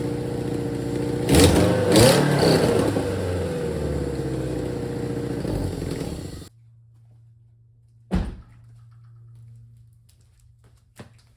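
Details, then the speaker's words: Supercharged Toyota MR2 Spyder with new full custom exhaust, engine blipped twice then shut off; raspy loud note from big exhaust leak at the header, fitted without a gasket. "All right, guys, as you could probably tell by that sound clip, a lot of exhaust leaks. I don't have a gasket for the header yet."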